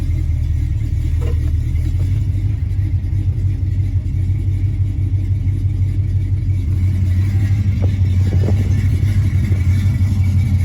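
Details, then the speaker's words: 1986 Chevy C10 Stepside V8, owner suspects a flat tappet Comp 268 or 272 cam: deep, steady low rumble, even throughout with no knocks or ticks; running normally. "You know, back in the day I built these, it sounds like, to me now, I may be wrong, but I have to run the numbers on that engine, but I bet you that's that flat tappet comp 268 in this thing."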